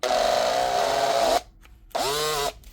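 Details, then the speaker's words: Makita DHP482 cordless drill with burnt-out armature, before warranty repair: strained high whine wavers then drops out, a brief restart sags in pitch; cuts out at high speed with burning smell; needs new armature and brushes. "you keep going at high speed, this one's actually cutting out, but you'll normally get a bit of smoke coming out as well."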